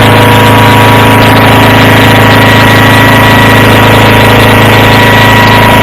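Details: Approx. 1976 Sears GT18 tractor, Onan 18 HP, after carburetor cleaning and fuel pump rebuild, air cleaner off, choke off after a choked start. An even, steady hum with a constant firing beat and no stumbling or surging, normal idle.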